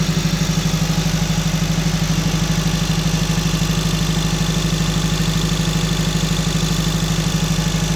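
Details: 2012 Honda Civic Si misfiring at high idle only: raised idle with a steady, rhythmic stumble about three times a second. Scanner showed misfire on all 4 cylinders, but the scope showed only the #4 injector failing; ECM needs replacing.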